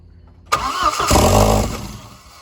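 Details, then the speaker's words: B5 big-turbo 1.8T with IE cam, first start after crank-no-start, missing many vacuum lines: catches with a burst, flares, sags and dies within two seconds; stalls from vacuum leak. "right, doesn't want to stay running. It is missing a bunch of vacuum lines. It runs though."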